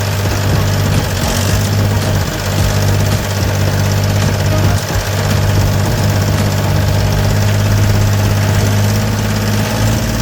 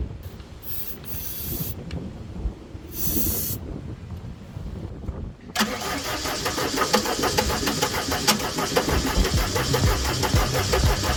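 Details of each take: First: Gehl 4640 skid steer with Deutz diesel, which had quit and would not restart before a fuel solenoid/pump diagnosis, now at a deep, steady idle with an even beat and no misses or knocks; running smoothly. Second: Gehl 4640 skid steer with Deutz diesel: starter churns with a steady, even chug but the engine never catches; crank no start traced to the fuel shut-off solenoid not pulling in.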